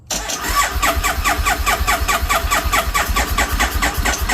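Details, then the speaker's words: Triumph Bonneville T100 fuel-injected: slow laboured starter cranking with compression pulses about twice a second and a couple of pops, never starting; battery too low, needs charging. "yeah the battery's too low yep I just plugged it in earlier cuz I wanted to let them hear it and I tried to crank it n nothing I need to let that battery charge"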